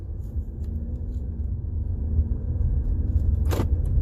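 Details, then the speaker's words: 2018 Jeep Compass, microphone near the floor, driving over bumps after replacing one front sway bar link: only low road rumble, the earlier clunk and rattle gone. "First couple of bumps. I hear the noise is gone. This will be another rattle here. All right, there you go."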